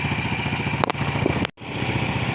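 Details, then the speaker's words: Motorcycle engine idling steadily with even low putter and no exhaust pops after cleaning dirty AIS (air injection system); before, trapped air caused backfire popping when closing throttle or descending hills. "Jadi, sekarang tidak ada lagi letupan dari knalpot, yang sebelumnya terjadi saat melepaskan pedal gas atau saat menuruni bukit, sehingga menimbulkan suara letupan."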